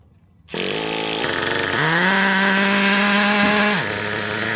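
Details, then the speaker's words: Traxxas Revo 3.3 nitro engine with high-speed needle opened two turns past original: idle slightly lower, climbs then sags and cuts off at wide-open throttle with excessive smoke; running too rich on the high-speed needle. "And notice the excessive amount of smoke too. See what I mean? So you probably could accelerate real slow and maybe keep it going. And that was wide open throttle, guys."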